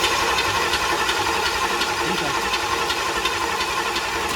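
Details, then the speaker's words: Chevy 350 small block built 25 years ago and never started, turned over with the ignition off: even starter churning, nearly three compression pulses a second, no firing; normal cranking with compression. "like she got a little compression to her."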